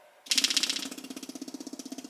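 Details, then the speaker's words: New Holley 12-426 electric fuel pump replacing a burned SU pump: quick, light, even ticking at roughly thirteen beats a second as it primes and runs normally. It is much quieter than the SU, with no leaks seen. "Hear it? That's a lot quieter than the SU. I heard it prime and everything, so that's good."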